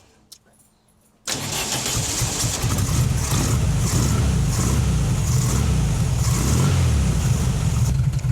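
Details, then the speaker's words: 1968 VW Fastback with dual carbs, started cold before tuning and carb sync, idles slightly rough with a loping beat and too low. "It idles. You can kind of hear it. It idles a little bit rough. You can hear it just a little too low for my liking."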